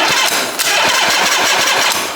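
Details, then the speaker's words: 1968 Harley-Davidson generator Shovelhead, kick-starting with spark checked at plugs: steady cranking thumps about four a second under a hiss, never catches; no spark, intermittent at first, dead ignition coil found and replaced. "No spark. So when it first did it, it had a couple of kicks, so must be in and out of spark."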